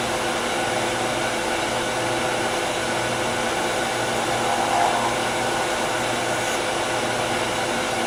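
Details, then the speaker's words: Miniature Tagua nut hollow form on a lathe, cut with a shallow fluted gouge; a rough buzzing chatter over a steady whine because the overhanging workpiece vibrates. The cure is light cuts, high speed and sharp tools. "you can hear a lot of chatter that's because this piece is hanging over it's vibrating so light cuts high speed sharp tools"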